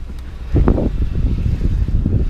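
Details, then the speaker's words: Warm Ford Crown Victoria after removing and cleaning the idle air control valve, owner suspects it was a little clogged; low, even rumble with no ticking or hunting, some wind noise; earlier noise gone. "now I don't know if you guys can hear but it's not doing it now so I think my idle air control just a little clogged up"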